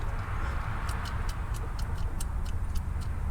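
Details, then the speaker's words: 5.9L (360) V8 Magnum in a Dodge Dakota, oil pan off, crank turned by hand: faint uneven metallic clicks from play in one connecting rod; bad rod bearing causing the knock. "there's play on that Rod there so I'm gonna go ahead and pop the bolts off the other ones seem to be not any issue but just this one for sure"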